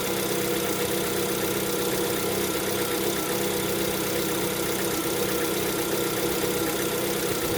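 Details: Lada Vesta, 11,000 km, cold engine: idle with a busy, clattery knock running steadily under the engine note; owner attributes it to piston knock on cold start.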